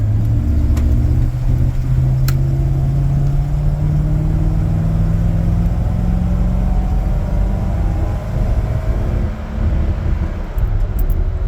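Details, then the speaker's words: 1993 Chevy Beauville van, 350 V8 with 4L60 four-speed automatic, driving in traffic: steady low drone rising and easing through gear changes without bang or slip; smooth normal shifting, quiet muffler. "shifts real smooth it's real quiet got a quiet Muffler"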